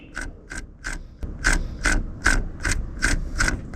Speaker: También ahora el elemento que más comúnmente se daña del clutch es el collarín, que este está en contacto directo con el plato opresor y cuando se daña, al momento de girarlo con la mano se escucha así.